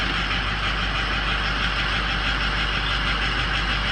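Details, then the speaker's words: Diesel on cold start, injector control module (FICM) voltage dropping to 43 then 39 volts, below 45: rough, uneven idle with loose irregular clatter; failing FICM, number three injector also questioned. "watch it there you go 43 39 yeah it's shot we really don't it really doesn't matter about injector balance rates doesn't really matter because picking is bad"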